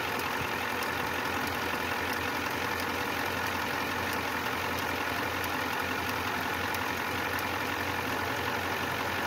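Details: 1994 Ford F250 turbo IDI diesel idling without air cleaner after replacing brittle O-rings on three of eight injector return lines: steady even clatter, no stumbling, hunting or misfire; leaks fixed.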